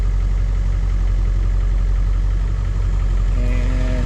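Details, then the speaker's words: 2001 Ford F-450 7.3 diesel after repair for dead-cylinder codes (P1316, P1271/P1274/P1275): steady, even low idle rumble with no misses or knocks, charging normally; healthy idle after repair. "looks like she's feeling better wrapped up"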